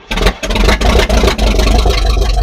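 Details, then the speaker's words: 1978 Cadillac Eldorado that sat all winter, after owner set ignition timing: deep, lumpy exhaust surging and sagging as it struggles to keep running, with hissing from the top. Owner suspects his timing setting. "Personally to me, it's sounding like a timing issue. Of course it's a timing issue."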